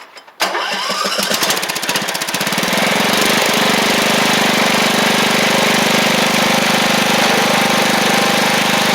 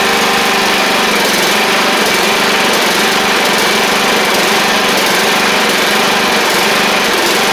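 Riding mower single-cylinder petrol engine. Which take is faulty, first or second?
second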